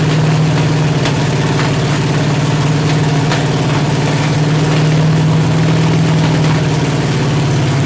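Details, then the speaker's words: 383 stroker V8 with 1.6:1 roller rockers on an engine stand, open headers, water-only cooling at 210°, after 2000–2200 rpm break-in. Loud, lumpy idle with spits and pops; valves adjusted too tight are held open, idle not set. "Just ain't idling good. Another thing, I'm gonna wait till I get her in the truck to set the idle."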